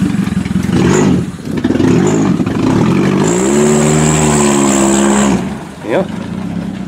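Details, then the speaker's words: Toyota Camry demolition derby car, previously not starting from an electrical fault, run after powering the computer directly on limited wiring; engine note climbs cleanly under full throttle kicking dirt, no hesitation, healthy acceleration. "she's kicking dirt that's for sure no hesitation no nothing"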